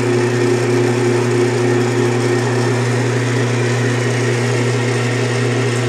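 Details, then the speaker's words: Craftsman Atlas 12-inch lathe countershaft after rebuild with new thrust bearings, first run, cover not yet fitted: smooth steady low hum, earlier grinding/humming from the shaft riding against the side is gone; runs quietly and healthy. "see right no more noise I figured that's what it was I me was just riding against you know the side he no we that weird grinding noise huming noise yep just some $6 thrust bearings"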